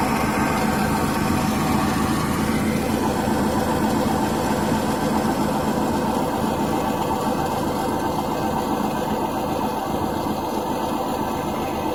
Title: Гудит ступичный подшипник